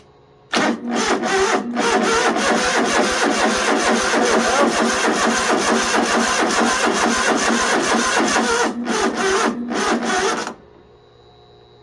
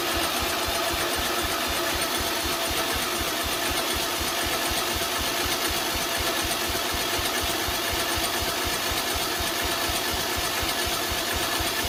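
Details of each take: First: 2005 Poulan Pro rider mower, Briggs & Stratton 17.5 engine: starter drags slowly in labored beats about twice a second for ten seconds without firing; the 150 cold-cranking-amp battery is weak despite reading 12.9 volts. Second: Project mower's small single-cylinder engine after carburetor, solenoid and starter linkage work, running on choke: steady, even beat with background music. It fires cleanly and keeps running.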